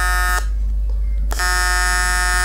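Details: Vector London 2400 AC/DC TIG welder on aluminium at 200 Hz with the cleaning effect set to 10%: a steady, harsh buzz with a sharp break mid-clip. The AC arc is running with too little cleaning, leaving lots of dirt and stains on the weld.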